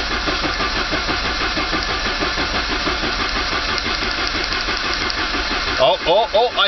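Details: 1985 Saab 900 turbo cranking with the starter to build oil pressure after removing a steel piece from the oil pump relief valve and priming the pump with grease; even cranking about 3.5 beats per second, no knocks or grinding.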